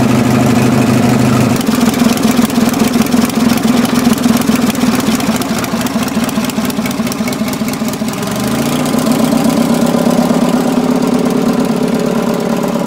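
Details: Racing Panzer small single-cylinder engine after carb clean and fuel pump replacement: it fires and runs at a steady idle with a quick even putter that dips briefly, then recovers.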